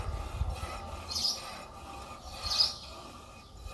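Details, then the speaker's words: Mercedes W202, front driver-side wheel turned by hand: faint rub with a high squeak about every second and a half, brake squealing. "هذ الرويضه هذه كتولي كتزيط بحال الفار كتولي كتغوت وهذا المشكل هذا كيكون من بزاف ديال الاشياء"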